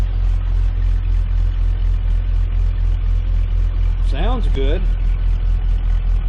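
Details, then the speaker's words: 1998 Jeep Cherokee XJ idling after replacing the crankshaft position sensor, which normally had an occasional idle miss: steady, even low idle with a smooth pulse and no stumbles or skips; no more miss. "no more Miss well it fought me every step of the way but I can say that uh that definitely made a difference on the Mist cuz normally when this thing idles you can hear it every once in a while it's got a miss"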